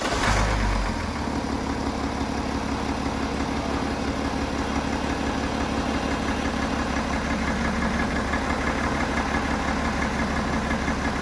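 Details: BMW F11 535xd twin-turbo six-cylinder diesel, failed engine: a steady idle with a dull repeating knock about three times a second; owner says the knocking comes from cylinder number three, a rod bearing knock.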